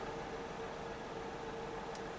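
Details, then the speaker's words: OBS C1500 pickup, cold, idling right after ignition coil replacement cured crank-no-start: smooth, steady idle with even low hum, no stumbles; oil pressure good, check engine light for an intermittent misfire. "as you see the car is running now let's look at the gauges again it's idling perfect"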